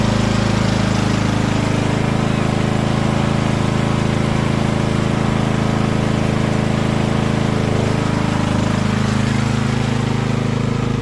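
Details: Poulan PXT12538 lawn tractor started after heavy rain, with the fuel shutoff reopened, gas added and oil checked, gives a steady, even putter at constant speed with no knocks, misses or surging; nothing wrong with the tractor.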